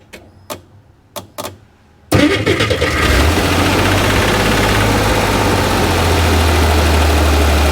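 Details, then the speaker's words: Flooded Chevrolet Corvair engine, microphone placed near the loudest spot: a few thumps then a busy idle with a steady internal knock; cause not found from above, engine to be removed and torn down. "the knock is something that I can't diagnose from the top of the car. So, I think the engine has to come out of it."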